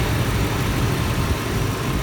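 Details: 1991 Lincoln Town Car 4.6 V8, likely over 200,000 miles, bad transmission in first and second gear; steady, even low rumble at idle with no knocks, misses or ticks; engine healthy, normal idle.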